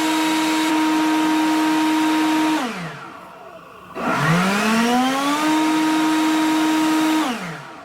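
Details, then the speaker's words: Hyper Tough electric leaf blower that had been starting and stopping: steady high fan tone winds down then spins back up to the same even pitch; now running normally. "And now it seems fine. I think what I'm going to do is I do have a little bit of leaves to blow around."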